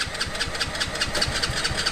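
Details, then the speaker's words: Mini Jeep go-kart with swapped 190cc 5-speed racing engine, pulse fuel pump, first start on choke: single-cylinder fires and settles into quick even putter at high idle through small muffler; cold start on choke. "There it is. Woah. This thing burns like man. Dude, that little muffler back there is Sounds good, dude. It sounds so cute."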